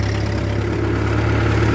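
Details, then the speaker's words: 1948 Ford 8N tractor, about 75 years old, pulling a trailer of scrap metal uphill, from second gear into third, not at full speed, oil pressure reasonable: a steady low drone under load with no knocks or misses; the engine is healthy with lots of power. "see if it'll pull it in third yeah no worries at all good she got lots of power oil pressure is reasonable it's not even really at full speed"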